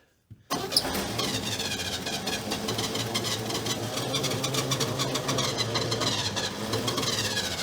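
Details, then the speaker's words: Abandoned 1968 GMC C1500 six-cylinder, first start after 17 years, bottle-fed fuel because the fuel pump diaphragm seems shot: cranks and catches, then uneven lumpy running; not firing on all cylinders. "Look at that. It does actually run. It's not hitting on all 8 at the moment."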